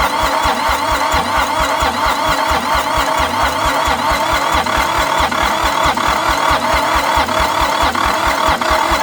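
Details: Long-abandoned International 284/285 4x4 diesel tractor, fuelled, primed, with glow plugs refitted: steady cranking at about four beats a second with odd catches that never take, almost firing. Owner suspects ATF left in the cylinders and wants more throttle and glow plug.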